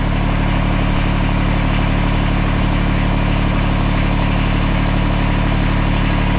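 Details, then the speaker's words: Kubota BX24 tractor with over 3,000 hours, after a transmission input shaft leak repair: a steady, even diesel clatter at low idle with a deep rumble and no knocks. Little hydraulic flow at idle, but pressure builds and no leaks are seen. "so we're running at idle right now these bxs do not make a lot of hydraulic flow at idle"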